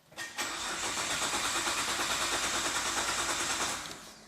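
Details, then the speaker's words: Imported Nissan GT-R of unknown history, after an oil top-up: the starter cranks steadily at about three beats a second with a relay clicking up front, possibly a kill switch, but the engine never catches. Crank, no start, cause not confirmed. "I can hear a relay clicking up the front when I All right, step one."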